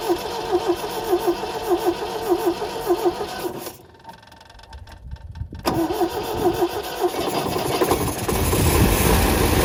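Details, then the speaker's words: 1974 MGB roadster parked 30 years, new points, rotor and plugs: rhythmic cranking, short pause, then catches and runs with uneven lumpy beat; clacking quieter than before, maybe fuel now getting in, but still running poorly, oil pumping from dipstick tube. "this is not clicky clacking as loud as it was we maybe we knock something loose and it let let the fuel go in but still not running real good"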